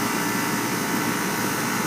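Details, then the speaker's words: HVAC condenser unit serving an overheated computer room: loud steady even roar with constant low drone, no knocks or rattles; fan running normally, loud. "and it's definitely not as quiet as my mishy bishy I mean I can hear the expower motor out here I mean it's just right there but when that thing starts up it's loud"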